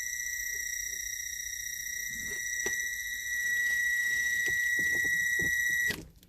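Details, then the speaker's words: Fairly new Christmas projection light, slow rotating motor: thin steady high-pitched whine that holds pitch and grows louder after start-up; planetary gearbox inside the motor housing suspected, not confirmed. "Because it starts slow, and you can hear the sound just gets louder and louder and louder. So I think there's a planetary motor gear set, maybe."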